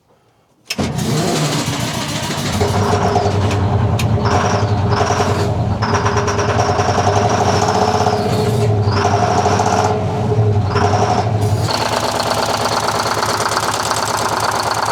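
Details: 1970 Peterbilt 341 with a blown-up Detroit 6V71 two-stroke diesel, cranked with ether: it fires and settles into a loud, uneven knocking run that stumbles every few seconds, with smoke that shouldn't be there. Rough running with knocking, cause unconfirmed.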